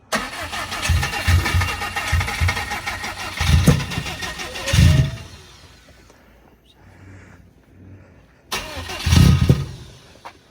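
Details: Newly built 1000 hp turbo engine at first start-up: starter cranks in steady bursts, stops and cranks again without firing; crank-no-start, crank sensor checked and found plugged in.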